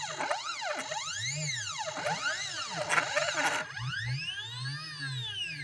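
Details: CNC stepper motors, drivers set to 0.3 Vref with potentiometers at max, whine as each axis speeds up and slows, rough and grating between moves; noisy stepper drive, cause not found.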